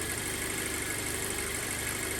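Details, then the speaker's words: 2007 Audi A4 2.0 with 141K miles, after engine rebuild for low oil pressure: steady even idle, slightly high-revving, a little shimmy but no misfires or check engine lights; sounds good. "but it sounds good so you sound great but i think i need to get it out on the road"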